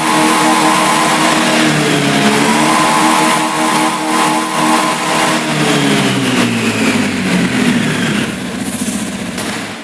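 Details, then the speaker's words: Honda Beat fuel-injected scooter: engine revs up but the pitch wavers and sags at high rpm, as if running out of fuel; fuel pump pressure checked normal, stumble traced to a faulty throttle position sensor. "dan tadi setelah kita coba ternyata pada saat putaran tinggi ia mesinnya seperti mau kehabisan bensin"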